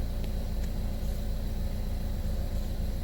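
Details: 2012 Buick Verano 2.4L after replacing the camshaft position actuator solenoid: low, steady idle with an even pulse of about two beats a second, no ticking or misses. P0013 and P0119 cleared, new P0011 shown. Normal idle.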